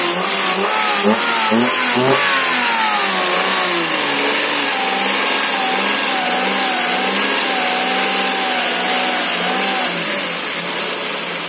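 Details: Daihatsu Ayla first start after water got into the engine and teardown; check engine light clear afterward: picks up cleanly through several revs, then even steady run with no misfire or knock; running fine.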